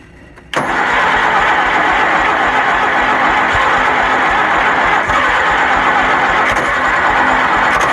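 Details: Kohler Magnum 20 engine on a Wizard garden tractor, second start after repairs, after priming the carburetor with gas and choked: loud, even churning at about four beats a second that keeps grinding on without settling; extended hard cranking.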